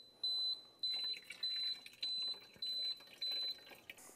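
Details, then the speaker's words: VS4000C continuous-flow steam machine: six evenly spaced high-pitched beeps about 0.6 s apart with orange light flashing, over faint splashing while water is poured in; normal low water warning beep, stops when enough water added. "if you run short on water this orange light will begin flashing and you'll hear a beeping sound at that time you lift this up which is not under pressure the cap and you pour water in here"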